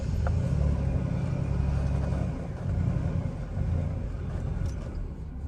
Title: Nearly dead battery. Very rough idle. Silverado cranking.